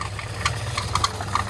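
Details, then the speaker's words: Car-washing pump motor, very hot, restarted after rejoining a wire: steady hum with irregular sharp knocks several times a second and jerking; bearing failure suspected, but motor ran quiet with fan belt removed, so the pump side is suspected. "देखो आवाज आ रही है, इसमें bearing वगैरह चला गया है,"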